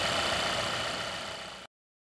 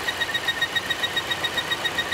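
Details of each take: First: 2016 Volvo XC90 with an earlier loud whistle/whine and lean code P0171 from a failing PCV oil trap, now replaced. Steady, even idle hum with no whistle or whine. Normal idle after repair. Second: 2016 Volvo XC90 idling with a loud high thin chirping whistle pulsing about four times a second, code P0171 lean; failing PCV oil trap leaking vacuum, noise stops when oil cap lifted; fix is replacing the oil trap.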